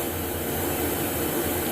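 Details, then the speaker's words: Wood gun original blower fan motor with new front and rear bearings, abrasion plate, insulation pad and end switch: constant smooth hum, no grinding, rumble or wavering pitch; bearings sound healthy, smoother than the new replacement assembly. "maybe you can hear on this video how smooth its operating and not like the new assembly that I bought that"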